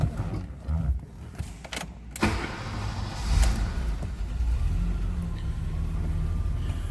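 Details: 1984 BMW 325e, 2.7L (2,693 cc) inline six with a Getrag 5-speed manual, 105,000 miles: a short crank, then the engine catches at once and settles into a low, even idle without misses. A clean, healthy start.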